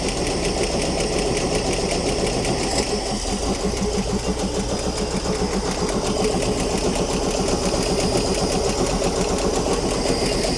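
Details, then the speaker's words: Old Ford D Series petrol fire truck idling after sitting 16 years: a fast, light sewing-machine ticking at about four per second over a rough idle; a flat, uncharged hydraulic lifter is suspected, and the noise later went away. "I don't know if they got hydraulic tappets. Sounds like one of those is flat and not charged up."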